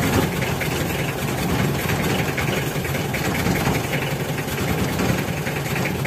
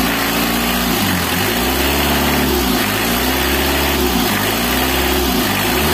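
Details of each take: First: Warm Mitsubishi L300 diesel giving stinging white smoke that irritates the eyes: idles with a steady, slightly uneven clatter and no clear misses. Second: Mitsubishi L300 diesel after repair to clear stinging white morning smoke: revs rise and fall smoothly with the throttle, a clean even note with no misses or knock; smoke now gone, running healthy.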